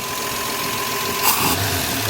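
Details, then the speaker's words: Car with newly installed Holley Sniper EFI on first start; steady even idle, smooth rhythm, no misses or hunting, short noise burst midway, idle healthy. "It's idling. What? Oh mate, you're idling. This is sick."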